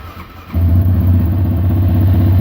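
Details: Yamaha Raptor 700 ATV started in a cold garage (about 10 degrees out) after temporarily wiring a Tusk kill switch tether: quick catch, then steady low even idle with no misses or knocks; normal start and idle.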